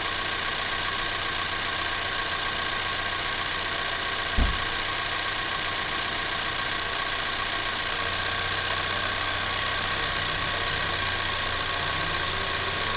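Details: 2024 Ford Maverick XL AWD 2.0L EcoBoost, warm, idling with air conditioner on and blower switched through low, medium and high: steady airy rush stepping up in strength; normal AC blower operation.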